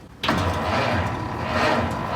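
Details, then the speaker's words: 1919 Ford Model T on its electric starter, choke on, timing fully retarded, little throttle: heavy, lumbering starter churn that slows down without catching or firing; slow cranking, hand-cranking may be needed. "It's slowing down. It is slowing down. We might have to manually crank it."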